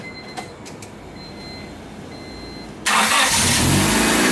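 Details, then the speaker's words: Honda that cranked but would not start, after repairing the crank position sensor wiring: quiet nearly three seconds, then catches at once and runs steadily; faulty sensor had caused fuel without spark. "there we go that was the problem so if you guys run into that problem where you crank and crank doesn't start then you try it again and again and finally it starts"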